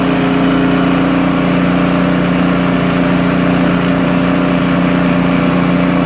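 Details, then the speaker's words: Poulan Pro snowblower small single-cylinder engine after idle-surging repair: steady, even idle with no hunting or surging. Running much smoother. "i'd test it a little bit it seemed to be running much more smoother i'll show it to you after i put it back together much better"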